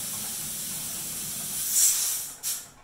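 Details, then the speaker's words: Pressure canner canning chicken broth after 10 minutes of venting: loud steady steam hiss, brief surge, then sharp drop toward quiet as the 15-pound weighted gauge is seated and pressure starts building. "ezer okay we've now been venting for 10 minutes you can hear this thing's going crazy"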